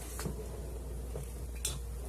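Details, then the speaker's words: 2005 Toyota Sienna door after fitting a new Dorman 924-147 door check assembly: door swings open and shut with only soft dull thuds, earlier popping completely gone. "it sounds completely gone and where that popping it's now it's just a matter of getting that door put back on"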